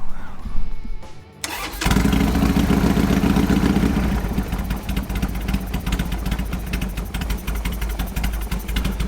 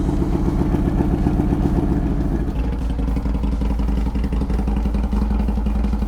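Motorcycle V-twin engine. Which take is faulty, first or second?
first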